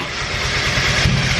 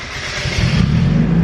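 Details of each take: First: Turbo Miata on startup: engine catches rough, then two sharp bangs about half a second apart over uneven idle; popping and backfiring, owner suspects ECU doesn't know number one cylinder position for cranking timing. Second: Turbo Miata restarted after a failed start (key cycled off and on): engine catches on the first crank and builds into a steady rising rumble; owner suspects the ECU loses track of cylinder 1 position, affecting cranking.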